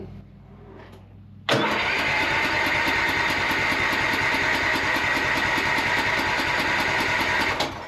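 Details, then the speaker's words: Cub Cadet lawn tractor mower, first start after new starter and repairs: cranks a while, then catches with a loud burst and settles to a rough run; slow to start, owner suspected a fuel or spark issue. "It took a little while to kick over. Starting to get a little nervous thinking it wasn't going to start."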